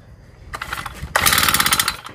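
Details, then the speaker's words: Honda GX35 4-stroke brushcutter engine, valves already adjusted, sputters and catches briefly then dies because worn piston rings leave no compression; piston and rings to be replaced. "ครับจะติดแต่ไม่ติดนะครับหลวมแล้วก็ดับไปครับเพราะว่าแรงอัดไม่มีนะครับแรงอัดไม่มีหลวมมากครับ"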